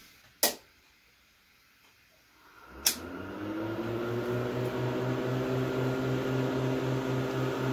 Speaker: hear the hard drive spinning up.